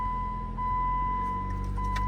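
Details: 2008 Jeep Compass with 98,000 miles, previously a no-crank, no-start with no communication to the ECM, now starting after a relay swap: the engine catches and settles into a steady, even run with a constant high chime; sounds healthy.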